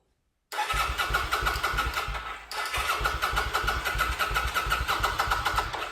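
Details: Kawasaki VN900 Vulcan bobber build, first start after refitting tank and reconnecting fuel pump and return line: rapid steady starter churning about three beats a second, pause, more cranking; engine doesn't catch.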